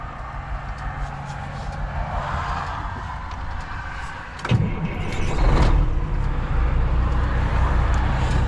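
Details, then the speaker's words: Grain-hauling semi truck's heavy diesel restarted after dying on the highway (oil checked and fine, no leaks seen); fires and settles into a steady, even idle about four beats a second, no knocks or misses, nothing out of the ordinary. "Yeah, that was very strange, but back up and running, nothing out of the ordinary, so I just called Pat."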